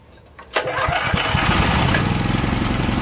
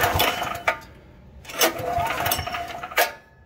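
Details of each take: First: Troy-Bilt XP 10,500W generator (model 030477) with a Briggs & Stratton 2100-series engine, after a carburetor replacement and a tank and line flush for bad gas, choked, on ethanol-free fuel: catches quickly on a pull and runs steady and even; normal running. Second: Troy-Bilt XP 10,500 W generator, model 030477, Briggs & Stratton 2100 series engine: three pull-start bursts that never fire; bad old gas with debris suspected to have gummed the carburetor, later cleaned/replaced with tank and line flush.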